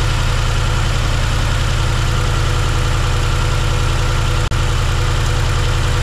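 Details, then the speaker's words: 1971 Chevrolet C10 V8 at first start, running poorly: low, lumpy idle with an uneven beat of about two and a half per second; cylinder three is dead and two, four and six have next to no compression, and oil is leaking. "we got it running but it's not running well found out that number two four and six have next to no co"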